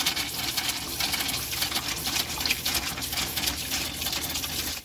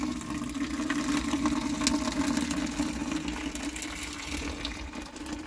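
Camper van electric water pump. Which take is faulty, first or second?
first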